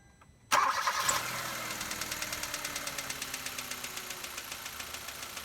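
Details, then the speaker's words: Engine with noisy valve lifters cranks, catches and idles with a rapid, even, light ticking from the top end, just after adding Lucas Heavy Duty Oil Stabilizer, before the 700–750 mile test drive; lifter tick still present. "Well, there you have it. You can still hear the ticking since we just put it in."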